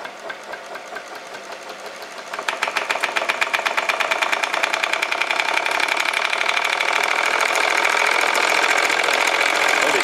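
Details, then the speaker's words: Homemade solenoid motor built from an old brush-cutter crankcase, crank and flywheel, permanent-magnet piston in a sloppy 21 mm tube, running on 24 V: sharp metallic ticking speeding to about four a second with scraping; gudgeon pin screw left untightened, pin slid out rubbing the cylinder. "oh and what has happened there is how um gudon pin has slid out and uh rubbing on the side the barrel so um I must have forgotten to tighten that up"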